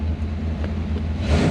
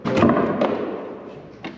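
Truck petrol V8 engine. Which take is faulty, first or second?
second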